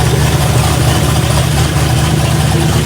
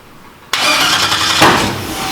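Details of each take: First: New boosted 5.3 iron-block engine with 13:1 compression, first start after MAP sensor ground and reference wiring fixed: loud, deep engine holding a steady, even idle with light throttle blips; normal idle. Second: Race engine: sudden harsh, ragged roar that never settles; flooding with excess fuel because the MAP sensor wires were swapped.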